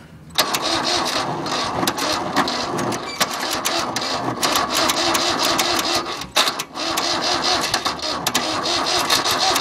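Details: Cold start after sitting about a month: the starter spins the engine over and over with uneven chuffing but it never fires or catches; crank, no start.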